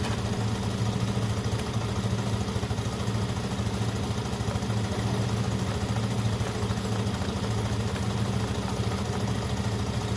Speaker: i'm just charging the batteries up guys i know it's not ideal idling bikes for no reason well this one's very clean running